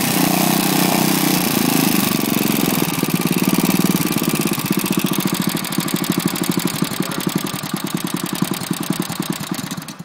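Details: Lifan single-cylinder engine after seized conrod big end from low oil, repaired only by polishing crank journal and cap with oily emery cloth: fires and runs with even beat, slowing as it winds down, no knocking; bottom end healthy.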